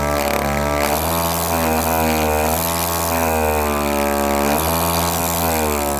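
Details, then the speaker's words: Harbor Freight Central Pneumatic air compressor running with the pump head removed, thumb held over the outlet: loud, steady motor drone with a rapid pump beat, dipping and recovering as the motor loads and spins up. Compressor pump running with head removed. "It does appear to be a high volume pump, but I can hold that back with my thumb, and you can hear the motor spin up there."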